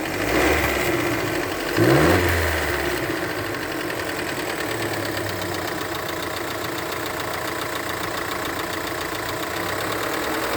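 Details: Fiat Pulse 1.0 turbo three-cylinder T200 engine: light, fairly quick, slightly uneven ticking over a steady idle after a short blip; abnormal engine noise at idle, source unclear.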